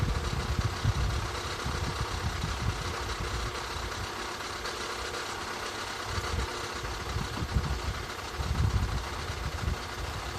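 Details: 2013 Skoda 1.6, 105 hp, at idle. A busy, slightly rough idle with an irregular clatter over the low rumble. Abnormal idle noise, cause not identified.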